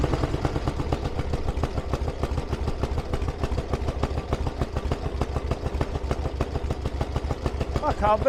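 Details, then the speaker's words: 1000cc Iron Head Harley Sportster after carburetor mount work: loping but even idle at roughly two hundred beats a minute with no misses, better than ever, though still feeling lean under acceleration and needing tuning. "believe that that's fantastic that's a lot better than it's ever been probably still needs a little bit of darling and it feels a little bit lean under acceleration"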